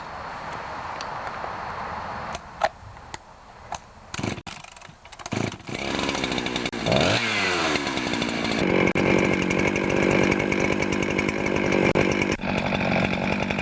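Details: Husqvarna 365 two-stroke chainsaw after intake boot replacement: a few pulls, then it catches and revs clean, crisp steady scream without stumbling; healthy running.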